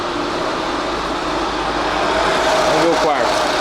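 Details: 2013 Nissan Livina 1.6 16-valve K4M at idle, fully warm at 95°C: a steady, even hum with no stumble or missed beats and street noise around it. The scan shows no misfires or stored faults; normal idle.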